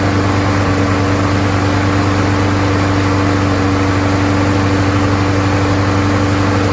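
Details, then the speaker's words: Craftsman 21in push mower, Briggs & Stratton Quantum 6.5HP primer-bulb engine after swapping in another carburetor with original gasket: steady even hum, no misses or surging; running cleanly, problem was just the carburetor. "sounds great it was just a carburetor swapped it with another one works great"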